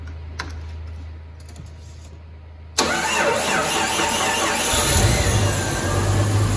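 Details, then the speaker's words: 1994 Jeep YJ after ECU repair, cooling system refilled with water: cranks and catches cleanly into a steady, even idle with no misses or knocks, with a slight whine the owner believes comes from the alternator. "while sounds great there's a little whining i believe it's from the alternator but we're gonna take care of everything i think she runs pretty good"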